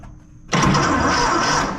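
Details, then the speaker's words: 1926 Seagrave ladder truck with the 1013 cu in F engine, first start attempt in at least 10 years, on a group 31 battery with a small geared-down starter. The starter engages and churns the engine over at a strong, steady pace: healthy cranking. "okay it cranks really good"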